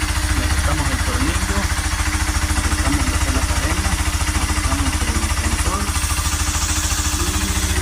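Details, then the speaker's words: Honda Cargo 150 (CG150), a month after cylinder, piston, camshaft, valves and timing chain replacement, came back with a strange noise; after readjusting the rocker arms and removing a screw, it has a steady, healthy single-cylinder idle with no ticking or rattle. "Pues ahí ya no hace ruido, el ruido,"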